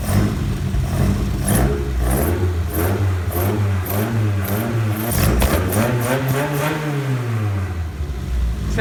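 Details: Classic car after a spark fault was fixed: revs rise and fall smoothly with throttle blips, and there are no misses or popping; it runs healthy.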